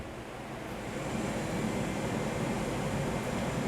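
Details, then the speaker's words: 1975 Corvette C3 heater blower on high speed after cleaning rusted relay contact: steady even rush of air with smooth motor hum, no squeal or ticking; high-speed blower now working. "the high speed fan is working i can hear it i can even feel it pulling air in"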